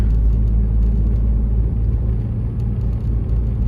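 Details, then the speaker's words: Ford Focus road test after wheel bearing and valve cover gasket replacement: even low road rumble and engine drone, no growl rising with speed; wheel bearings quiet, engine somewhat loud, motor mounts need redoing. "Yeah, it's whisper quiet now. The only noise is the engine, which I'm going to have to do the motor mounts again. But yeah, sounds smooth yet again."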